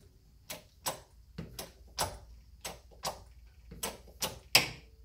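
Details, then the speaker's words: Car suspension with newly fitted Aldan coilovers, car jacked up to replicate: sharp dry clicks about twice a second when the spring expands or compresses, also heard braking or accelerating while driving; owner suspects the spring, cause unclear. "it's like almost like this this spring is making some noise but that's what I hear what I'm driving"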